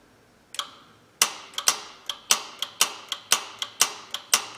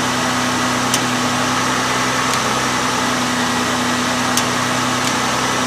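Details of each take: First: Honda 3.0/3.5 V6 with P0401 code, relatively new EGR valve driven by power probe, engine off: sharp paired clicks about twice a second as the valve snaps open and shut; EGR valve operating normally. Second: Honda 3.0/3.5 V6 with P0401 insufficient EGR flow, EGR valve commanded open at idle: idle stays steady with no stumble or stall, no change at all, indicating plugged EGR passages.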